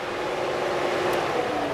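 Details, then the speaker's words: 2000 Pontiac Trans Am that was overheating, after cleaning corroded fan connector terminals and commanding fans with a scan tool: even, steady rush of air with no rattle or ticking; radiator fans running normally again. "and then let's turn on our fans there we go and now we've got our our fans back"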